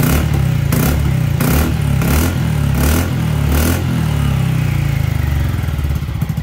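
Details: Honda ADV350 scooter after its strange noise was traced to loose engine-to-muffler bolts and fixed by tightening them: revs up and down through throttle blips with an even exhaust note and no loose metallic rattle; runs clean.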